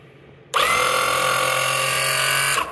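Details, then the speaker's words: Electric oil-extraction pump tested filled with oil, under load, in winter: steady high motor whine holding even pitch with low hum beneath, sounding different from empty run; pump pulling oil normally. "уже чуть по-другому под нагрузкой значит хорошо"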